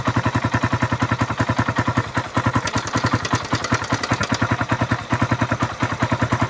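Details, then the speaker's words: Suzuki Raider run without an oil change, restarted after carburetor cleaning, new filter, spark plug, regulator, battery and fresh oil: sharp, regular ticking at idle, about two and a half a second. "Pakinggan natin yung makina dahil maingay yung makina nito, walang natuyuan. Ayan. Yung pumipitik na yan. Yung pumipitik."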